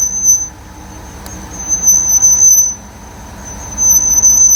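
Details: Brake squeal on lift from the right rear wheel after front and rear pads were removed and sanded (front noise eliminated): piercing high squeal swelling and fading as the raised wheel turns, faint rumble beneath.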